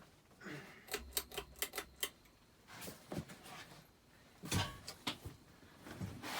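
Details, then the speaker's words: 52-inch Hampton Bay Chatham ceiling fan from April 1992, left outside in the rain, running on low speed. Quiet irregular crackles and clicks over a faint hum come from its bad, crackly bearings. "bearings are pretty crackled up too since this fan did sit outside in the rain i guess the seller left it outside in the pouring rain before he gave to me"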